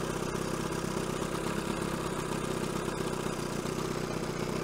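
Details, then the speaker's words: 1970 Evinrude 25 HP two-stroke outboard after condenser change and idle adjustment for rich running, idling cold: low even putter about four beats a second, no stumbling, less smoke than before; normal idle. "actually hiding quite idling quite nicely smoke is a lot better than it was"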